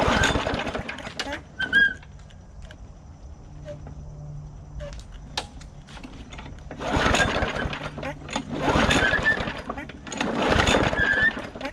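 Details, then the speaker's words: Bolens 22-inch push mower, primed, plug wire on: several pull-cord cranking bursts with brief sputter, never catches; later found a huge split in the intake tube sucking in air. "there's a huge split right down the intake tube on here. So it is sucking in a bunch of air, and so that's what the problem was earlier."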